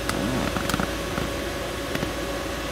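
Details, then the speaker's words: 2015 Mercedes Sprinter 3.0L with an AC-not-working complaint, after replacing the blower motor: an even whir and steady mid-pitched hum from the heater fan, amperage ramping with speed; the new blower is working normally. "all right so we made the right call as you guys can hear the blower motor is working now"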